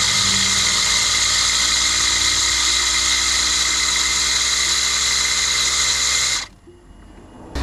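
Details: 2014 Tesla Model S 85, 8 years and 106,000 miles, bonnet open, brake pressed: a loud, steady buzzing hum from the brake vacuum pump that cuts out abruptly; worn noisy pump, expected wear at this mileage, replaced.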